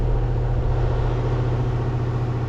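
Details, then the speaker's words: Goodman heat pump outdoor unit during maintenance, with newly replaced factory condenser fan motor after the old one got loud at shutdown: steady low hum with even airy whoosh, no rattles or squeal; running smoothly. "condenser motor, so it seems to be running well."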